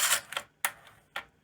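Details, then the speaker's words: Sony Betamax SL-HF100 Hi-Fi VCR, already serviced: harsh ratcheting clacks about every half second as the tape laces; noisy lacing mechanism, suspected worn planet gears, with head bearings also noisy. "The lacing is really noisy on this. I did service it, but yeah, it sounds really noisy."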